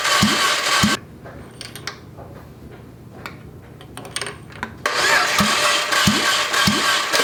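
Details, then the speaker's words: Junkyard Fiat 500 MultiAir engine cranked in short bursts during a wet compression test with oil added to each cylinder; the results were erratic: 120 psi, none, then 150 psi, which was perplexing. "All right, so we suddenly got 120 out of this cylinder. No, nothing. That one went up to like 150."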